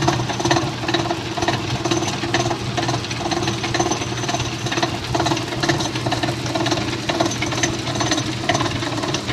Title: Amana Washer (MFG # P7762117WW) Agitator Clunking Noise (Part 1)